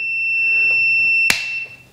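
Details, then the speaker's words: Riding mower electric PTO switch tested with a multimeter across the PTO terminals: steady high-pitched continuity beep for over a second when switched on, showing the switch contacts close properly. "and then not we turn it on you should have continuity beeping when it's turned on"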